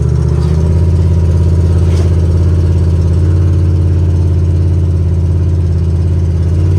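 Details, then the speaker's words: Box truck that sat 5 years, running after a new fuel pump, with its catalytic converter stolen, cruising on back roads: a deep, loud, raw drone with heavy low rumble and no muffling. Loud exhaust from the missing catalytic converter. "It's gonna be loud because the cat was stolen. Fired right up, baby."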